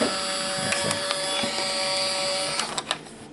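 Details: Fujifilm Instax Mini 7s instant camera during a test shot: a short, even small-motor whir of about 2.5 seconds, then a few crisp clicks. The film ejects cleanly and normally.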